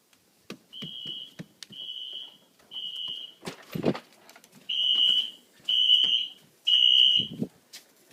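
Loud high-pitched horn blasts in groups of three, about a second each with short gaps, repeating: the system is in full alarm.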